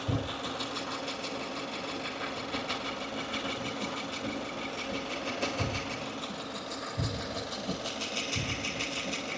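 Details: 2015 Subaru Forester, warm idle out of warmup mode: light uneven whirring chatter that comes and goes, not constant with engine rotation; new since days before, owner suspected lifter or rocker roller issue; source unconfirmed.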